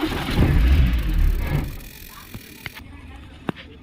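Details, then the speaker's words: Maruti Suzuki Eeco on CNG/petrol: engine catches and revs briefly, then dies within two seconds leaving clicks; dashboard lights all fine, switch makes a sound with key on; mechanic blames the gas-petrol changeover switch, plans to bypass it directly. "যত গন্ডগোল আমার এই gas petrol সুইচে। গাড়ির case দেখো, engine ঘুরছে কিনা দেখো, গাড়ি কিন্তু স্টার্টে থাকছে না।"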